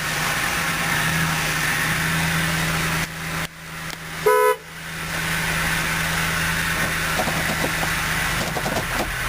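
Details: 2006 Dodge Durango Limited, 58,825 miles, just started; smooth, even idle with a steady low hum and one short horn toot. Normal idle.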